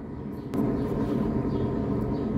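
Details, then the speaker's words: Ford with wheel hum that grows with speed, like taking off at 80 km/h; car lifted, left rear wheel spun by hand: a knock, then a steady low rumbling growl. Worn rear wheel bearing. "se escucha bien clarito no ocupo ni siquiera llevarlo a pasear el carro porque mi cliente me dice no a 80 kilómetros se escucha que ella va le digo que ya casi despega"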